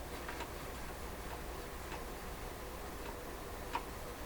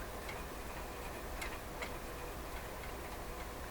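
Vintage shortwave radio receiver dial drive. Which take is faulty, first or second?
second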